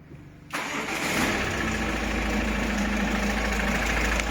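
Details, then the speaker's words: Ford Mondeo MK5 2.0 TDCi DW10F diesel, about 370,000 km, starts and idles with a loud steady whirring hum from a worn oil pump, not belts or timing; low oil pressure fault, max 3 bar. "To nie jest pasek osprzętu. To nie jest pasek alternatora. To nie jest rozrząd. Te dźwięki są z pompy oleju."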